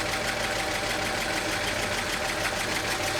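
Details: 1941 Chevy coupe six-cylinder, new generator and fan belt, longest run yet with coolant low; steady even idle, no knocks; slight hiccup and rough valve lash suspected, maybe a sticky valve.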